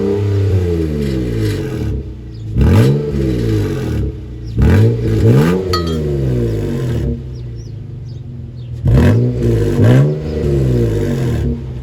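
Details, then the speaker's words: Volvo XC90 with its muffler removed after it fell off: quiet at idle, but each throttle blip brings a loud, booming rasp that rises and falls with revs; the loud exhaust comes from the missing muffler. "now this is a luxury SUV so I would not have chosen to remove the muffler but since it basically was removing itself I'm going to keep it like this for a little while"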